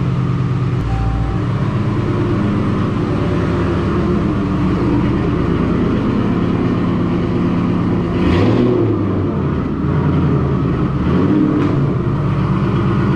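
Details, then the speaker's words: Ford Mustang GT V8 with cold air intake, Kooks long tube headers, high-flow cats and Roush muffler deletes, before cam/intake/throttle body install, idling: deep, even burble, strong exhaust note, brief rev blip, no ticks or misses. "the kooks long tube headers high flow cats and roush muffler deletes so we'll see what she sounds like right now and pull her out get her in and show you a few things on the install"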